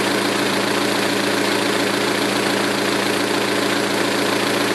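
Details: 2006 Saturn ION Redline petrol engine with GMR cams and stock lifters idling: fast, light, even ticking, three to four a second. Suspected lifter tick; owner concludes solid lifters are needed.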